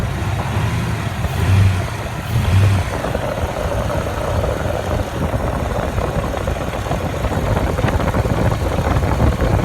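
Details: 1997 Ford 4.6 V8 idling with a light quick ticking through the steady rumble; cause unclear.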